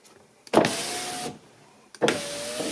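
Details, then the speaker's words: 2006 Audi A3 Sportback after repairing the front door wiring harness: two clean window runs, each a steady motor whir ending in a firm stop. Power windows working normally after repair. "c'est bon il y a plus de problème avec les vitres non plus c'est bon ça a fonctionné pas de souci"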